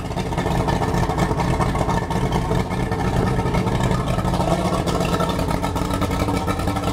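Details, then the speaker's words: Yamaha OX66 outboard after the lift pump was deleted and replaced by an electric low-pressure fuel pump on a relay, idling on the flush hose. The idle is steady and even with no misses or knocks, and the fuel pump is verified running. "the engine right now is just idling making sure that that fuel"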